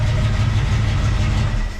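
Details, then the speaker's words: 1969 El Camino SS, 454 big-block V8 first start after distributor install, carburetor without throttle linkage: deep uneven lumpy rumble for two seconds before fading; rough running from unset ignition timing. "That's just from, you know, setting her up from the initial setup, I guess. Dropping that distributor in there."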